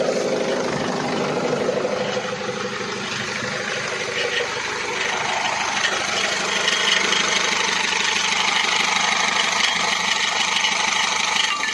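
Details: Mercedes Sprinter 2.2 diesel with the gearbox removed (clutch fine, play noted) idling with a steady light knock of roughly three per second in time with the engine; source not pinned down, owner suspects gearbox, not flywheel.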